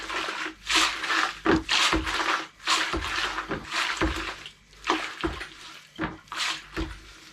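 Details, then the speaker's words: DS bait pump after rebuild with a new main washer, tested in a bucket of water: uneven gulps and slurps with each pull and push stroke, no air leak hiss; suction is strong and normal. "i get it in a bit of water as you can see here there's plenty of suction in"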